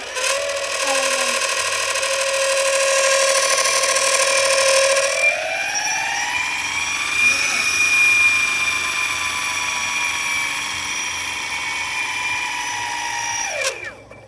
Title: LiftBoard DUAL Motor Weird Noise